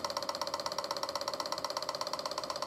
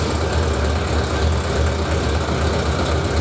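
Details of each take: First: Suzuki 1100G motorcycle, carbs gummed from long storage, after removing carbs and clearing idle jets, ignition on with priming button: fast even ticking about fourteen clicks a second as the electric fuel pump primes and fills the carbs; normal. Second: Suzuki 1100G four-cylinder, first start after removing carbs and clearing idle jets gummed from sitting, which had caused misfire on at least one cylinder: rough, lumpy idle with occasional stumble; still a slight misfire.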